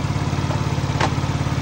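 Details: Fekon Revx 125 motorcycle, owned 3 years, that was dying when revved, after carburettor cleaning: steady, even low putter with no misses; normal idle.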